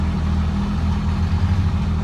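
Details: 2007 Ram 5.9 Cummins diesel with a hard-start-then-die fault, after cleaning the battery terminals and cable: starts right up and gives a steady, even low idle rumble with no knocks or misses. Normal idle, check engine light still on.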